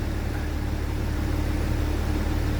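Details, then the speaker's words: BMW E92 335d, stage 2 tuned, just fitted with R90 high-pressure fuel pump (replacing R70, fault codes 4560/4570): after fuel system bleed the engine holds a raised idle above 2000 rpm for about 10 minutes; steady, even diesel drone, no knocks or misses; normal. "increase speed process. As you can hear, it'll just hold it above 2000 RPM for about 10 minutes."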